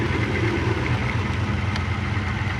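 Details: Lexus LS400 UCF20 1UZ-FE VVTi, about 1998–2000, after a cam job, codes P1346, P1349, P1351, P1354: a low V8 idle with an uneven, lumpy, wavering pulse; VVTi actuators suspected badly reassembled.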